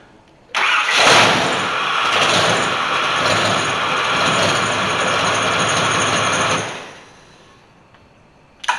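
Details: Ford 460 V8 in a dually truck, just fitted with a cheap eBay high-torque mini starter replacing the stock starter that struggled when warm: quick starter whir, catches within a second, steady rumbling idle; normal clean start.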